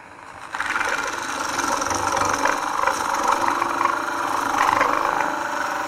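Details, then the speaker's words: Sorby ring tool hollowing an end-grain bowl of wet green wood on a lathe: rough, buzzing cut with ringing bursts, chatter from the tool reaching too far out over the tool rest. "oh hear that chatter i'm getting just a little bit too far out over the tool uh rest"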